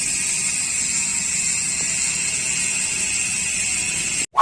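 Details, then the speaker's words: United Clovis 6.0 hardtail MTB with Nautilus Rakac pawl-less freehub, which hums instead of the usual bee-like buzz: loud steady high-pitched hum while coasting, smooth, no clicks or grinding; normal freehub coasting sound. "yang menggunakan sistem race teknologi berbeda dengan freehub kebanyakan yang menggunakan power nautilus reaksi ini tidak menggunakan Paul makanya bunyinya berdengung tidak seperti bunyi tawon kebanyakan di"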